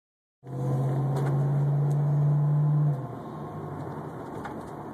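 A steady low hum-like whine holds for about two seconds, then drops away; source of the whine is unclear.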